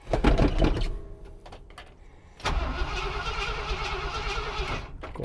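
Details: Ford F350 truck: starter spins engine evenly for a couple of seconds with no firing; cranks but won't start because it was out of fuel, starter later gave out.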